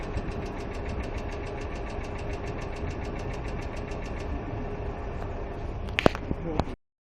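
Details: Hyundai Accent II at quiet idle with rapid, even, light ticking that keeps pace with engine speed, from noisy hydraulic lash adjusters (lifters).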